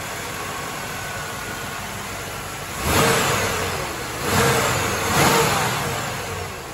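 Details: 1995 Chevy Caprice Wagon after belt and tensioner replacement for a chirping belt: steady even idle, then three quick throttle blips that rise and settle cleanly, no chirp or squeal; runs healthy.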